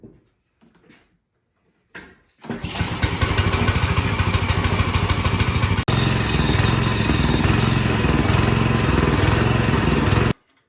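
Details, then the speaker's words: Small single-cylinder engine on a snowblower surges at part throttle but runs steady at full rpm; the carburetor is to be removed and cleaned. Wavering, hunting beat as speed rises and falls. "does run but as you could hear it was it's surging a little um i put it up to full rpm it's all the way up to the rabbit and it doesn't do that but as soon as you kick it down it's surging"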